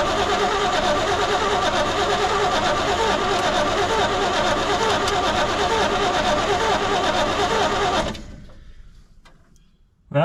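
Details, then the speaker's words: 1972 Chevrolet C20 pickup stored over 20 years, primed with lawnmower gas and choke closed: slow steady cranking about three turns a second for eight seconds, never fires; cranks, no start, owner suspects lifters bled down losing compression. "sometimes when they sit this long the lifters bleed down and you lose compression um we'll let that starter rest a little bit"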